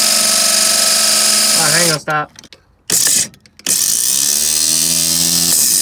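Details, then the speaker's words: '65 Chevy C10: high, fast whir cutting in and out with grinding chatter. The pinion is not fully engaging the flywheel, and the owner thinks the starter forks were fitted wrong. "I see what's wrong with it it's not fully engaging all the way"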